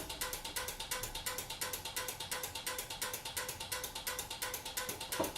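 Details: Relays switching 120 V incandescent party bulbs via a converted 12 V LED-strip receiver: sharp even clicks about three per second, no buzzing; normal relay switching.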